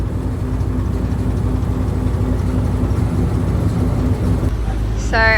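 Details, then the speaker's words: 1JZ S13, newly fitted turbo and anti-lag, running on the dyno; lumpy, uneven beat as if down a cylinder; misfire from a badly wired injector pin, later fixed; alternator also not charging. "apparently it sounds like it's down a cylinder. That would be why it sounds like a 350Z, and the alternator is not charging, so we're gonna have a look. So the miss was actually from a bad injector pin that we wired up."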